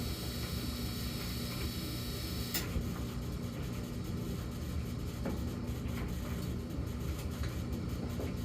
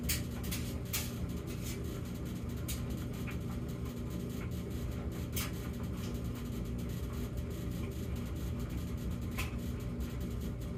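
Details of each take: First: Samsung gas dryer, intermittent low hum phase (0:23–1:01): steady low droning hum under the tumbling rush, no knocking or scraping; follows 14 s of high hum and repeats every few minutes, cause unknown. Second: Samsung gas dryer with an intermittent humming problem (high hum 14 s, low hum 38 s, then none for minutes) in its quiet phase: low, steady drum rumble with a few soft tumbling clicks and no droning hum, running normally.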